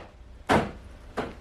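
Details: Door lock actuation triggered from body control module via Thinkdiag 2 OBD-II scanner: two crisp, quick thunks about seven-tenths of a second apart, lock then unlock, clean and solid; the actuator works normally.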